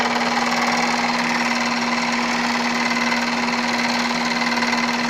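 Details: Opel Astra with Z16XER engine running, steady hum with an even light knock about four times a second; worn AC compressor knocking.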